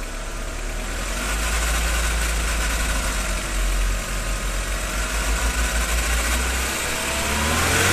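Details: Audi/VW 1.8T warm engine at about 1300–1800 rpm: dry rustling chatter from under the valve cover, never when cold; replacing the cam chain tensioner eliminated the noise.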